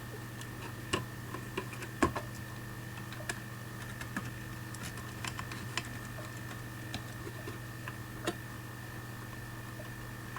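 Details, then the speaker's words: Galaxy DX98VHP export 10-meter amateur radio with a DC power fault, drawing almost no current: faint irregular speaker clicks over a steady low hum, no audio, display and everything off; traced to a poor factory solder joint on transistor Q37. "okay well no smoke but display and everything on the radio is off okay but there is some kind of life because their speakers clicking"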